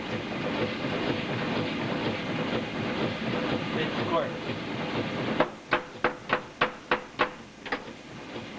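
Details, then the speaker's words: Steam car feed pump (1¼-inch short-stroke, running at engine speed off a rocker) after closing the bypass: sharp, regular clicks three or four a second as it strokes steadily against boiler pressure. "Now she's pumping against boiler pressure."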